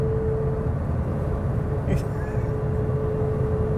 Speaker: about 63-4 miles an hour, the motor noise turns into this sort of deafening resonance. It's not loud particularly, but it's not very comfortable.